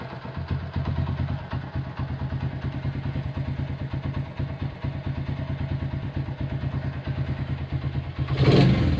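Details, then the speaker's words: Honda CB100 K3 engine with CDI, after rebuild work, idling at a now-low idle with a quiet head: steady low thumping clatter about two beats a second from the middle of the engine; suspected crankshaft or clutch. "Ada suara di bagian tengah, kemungkinan keruk as atau mungkin kopling."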